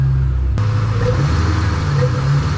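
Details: Ford Mustang 3-valve, down on power: intake found completely clogged, started with air intake removed. Low, lumpy, uneven idle sagging toward stall; MAP unhappy, smells of gas; rough idle with intake off.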